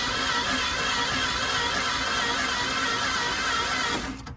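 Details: Ford engine with 70,000 miles and plastic timing gears: fast, even starter whirr about three turns a second with no compression beats or firing; compression seems lost, timing gear jump suspected, not confirmed.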